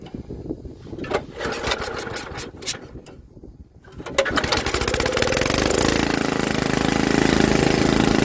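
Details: Troy-Bilt rear-tine tiller after magneto cleaning restored spark and carburetor adjustment, choked: after handling noise the single-cylinder catches and settles into a steady, even putter with no misses.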